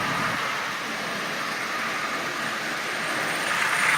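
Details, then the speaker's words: Marx Santa Fe model train shell fitted with a micro motor in place of the original: continuous scratchy rasp over the motor whir. The larger wheels rub inside the shell; fitting the dummy wheels is being considered. "you can hear the wheels rubbing on the inside of that shell like I said the original wheels are much much smaller than that"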